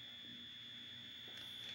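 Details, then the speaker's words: 1949 television set (VT73, 7-inch screen) after high-voltage capacitor replacement: a thin, steady high-pitched whistle over a faint hiss that never changes; interference noise of unknown cause, with a shield swap from another set planned. "i just need to see if i can fix that noise a little bit"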